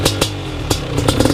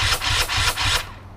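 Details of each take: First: BRC 500 single-cylinder engine kit in a 2015 Husky TE 250 frame, 40 mm billet Smart Carb with TPS and Power CDI, first startup by kickstart with decompression release; catches and blips up and down with crisp, even firing; healthy. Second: BRC 500 engine kit in 2015 Husqvarna TE 250 frame, first start on electric start with choke on and smart carb, TPS and power CDI fitted: harsh rasping bursts about four per second; cranks slowly and doesn't catch before decompression release is tried.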